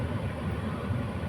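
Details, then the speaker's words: Maruti Suzuki Alto K10 AC blower, ignition on, run through speeds up to fourth after refitting: steady low airy hum, smooth, no rattle, ticking or vibration, just motor sound; complaint had been noise at top speed; normal blower operation. "ഇപ്പോൾ യാതൊരുവിധ സൗണ്ടോ കാര്യങ്ങളോ ഒന്നും ഇവിടുന്ന് കേൾക്കുന്നില്ല ആ മോട്ടോറിന്റെ sound മാത്രം"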